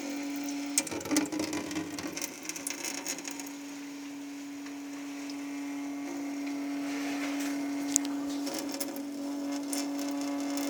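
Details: Sink: steady mid-pitched buzzing hum over constant running water, seemingly caused by the water stream; owner suspects a viscoelastic effect rather than resonance, not confirmed.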